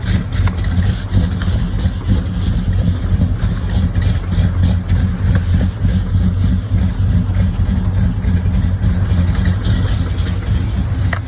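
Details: 1986 Monte Carlo SS with a small-block 355 V8, good oil pressure, driven for days with a knocking bottom end: a loud, deep idle with a dull, slightly uneven knock over a steady low rumble. Rod knock.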